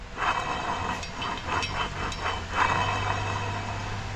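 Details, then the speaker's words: 2016 Sea-Doo RXT 260: uneven ratcheting grind in short bursts over a steady low drone, from a worn drive shaft carbon seal that needs rebuilding. The engine mounts are also bad. "we got to rebuild that carbon seal is bad as you guys know"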